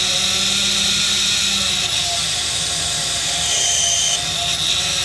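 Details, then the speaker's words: Medical chiller cooling a medical machine, refrigerant running at about 134a pressures, flow around six gallons per minute. A Headmaster head pressure control valve restricting flow makes a loud continuous hiss-laden rattle and buzz from vibration. "we're just going to leave it where it's at it just makes acious freaking Rattle and thr around about six gallons per minute it's just the vibrations going through it cuz it's restricting flow"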